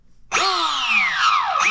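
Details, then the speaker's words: Castle Mamba X ESC with sensored brushless motor in Tekno MT410: high whine winds up, sags, stops, restarts after nudging motor; works fine with sensor wire unplugged; sensor fault, Castle later found motor defective. "now if I unplug sensor wire so now that's unplugged turn it back on and works fine sorry fine pretty obvious that it's something to do with the sensor wire or the sensor operation"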